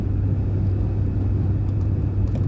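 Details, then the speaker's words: Mk2 Golf GTI 16v on a shakedown drive at 149 miles, fuel check valve fault fixed, at about 3/4 throttle without loading high gears: steady even low drone, no knocks, misses or whine; engine pulling cleanly. "Feels good. That's only getting only 3/4 throttle, just letting it do its natural"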